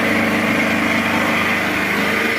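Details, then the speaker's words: Petrol generator running under load, powering lights on two floors and the boiler. Steady, even high-pitched hum with no surging or hunting; normal running under load. "генератор у нас працює нормально спокійно"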